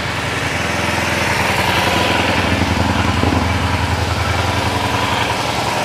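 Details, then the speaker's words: Kawasaki Ninja that stalled suddenly and lost power, after cleaning and repair and before warm-up: crisp, even firing pulses at a fast idle with no misses or knocks; power is back and the engine runs clean. "Nah, ini Mas Bro bukti menunjukkan kalau sekuran kita itu berhasil. Artinya motor ini langsung tak ada tenaganya ya, langsung naik gitu tenaganya."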